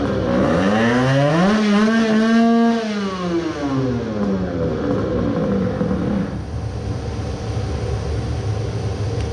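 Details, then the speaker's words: Tuned 20 hp two-stroke moped, crankcase resin-filled, with coolant, after 10-minute idle break-in: revs climb, then sag and die unevenly as engine labours and locks up totally; owner suspects seized main bearings. "the revs start to drop faster than normal right. that happened after all I let it idle for 10 minutes and it was running well but I only had to rev it for like 5 times and I could hear it is struggling then it seized."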